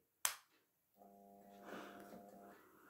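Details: 4-foot Fitzgerald fluorescent striplight with T8 tube and transplanted ballast: sharp starter click, tube strikes and settles into steady low mains hum from ballast; normal start.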